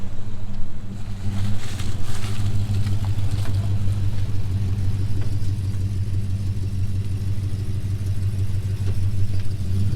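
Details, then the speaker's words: Project car after tune-up, driven on the street: deep, steady rumble pulling evenly under load with no misses, knocks or rattles, much better than before; normal running under load. "now sounds good you can certainly see that under load now it's pulling itself up yeah anymore it's a lot better than it was"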